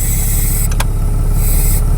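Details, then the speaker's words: Dodge Ram 6.7 Cummins diesel idling, mic under the driver's dash: a soft high hiss each time the brake pedal is pressed, from the power-steering-driven hydro-boost; the fix was replacing the power steering pressure hose. "I can hear the hissing sound every time I hit the brakes it goes away I come back up I can still hear it"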